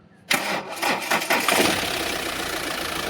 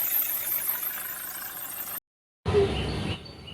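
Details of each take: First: Mahindra Xylo with a squealing belt complaint, run with the AC belt removed: the engine fires, takes a few throttle blips, then idles steadily with no squeal, so the AC compressor and adjuster bearing are clear; the old belt is weak and is being replaced. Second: Mahindra Xylo diesel idling with belt squeal: high, thin squeal persists after the first belt and adjuster are removed.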